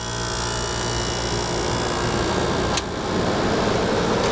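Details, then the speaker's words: Whirlpool 10,000 BTU window air conditioner (about 2000–2006) with unusual compressor; steady even hum and whir settling in with a brief dip midway, no knocks or rattles: normal compressor start; owner notes an odd noise at shutoff and an unexplained rattle. "sounds fine it just does that weird thing when you shut it off i mean really this thing runs fine"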